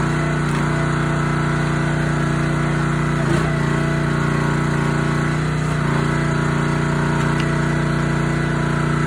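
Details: Honda GX160 SplitFire wood splitter after carb clean and oil change for bogging and stalling; steady single-cylinder drone sags only briefly as splitter loads and recovers at once, engine running cleanly under load.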